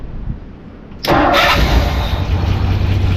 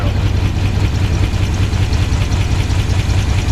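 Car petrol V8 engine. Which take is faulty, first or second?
second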